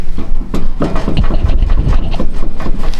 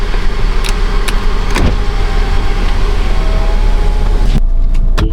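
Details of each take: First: Rotted Hyundai Tucson with clunk/rattle complaint while driving: irregular dull knocks and clunks as a worn rear sway bar link is rocked by hand, the rattle that sounded like a bad strut; a rattling heat shield was also found. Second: 2016 Hyundai Tucson on a test drive after sway bar link and rattling heat shield repair: steady low road rumble from inside, with no more rear suspension clunks or rattles.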